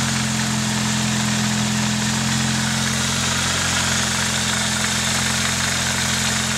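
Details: Nissan 240SX KA24DE at idle: smooth steady idle with constant light chatter and hiss that never changes; owner asks whether it is timing chain noise, unconfirmed.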